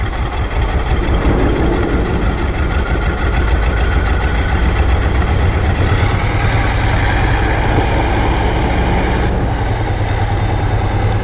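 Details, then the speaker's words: 1968 GMC truck with a 427 V8, first start after sitting 30+ years. Catches with an uneven, lumpy beat, then settles into a steady, deep, even idle once all cylinders fire; normal idle. "Once it started to fire and it came on, it smoothed right out, and it was back to that badass 427"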